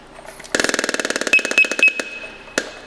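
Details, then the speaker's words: Scott Air Pack SCBA startup check with cylinder valve opened: vibe alert buzzing for about a second and a half, then three chirps, no airflow from the regulator, lights turn green; normal, no leaks. "the vibe alerts should come on no air flow from the regulator you'll hear three chirps these two lights will turn bright and then turn green"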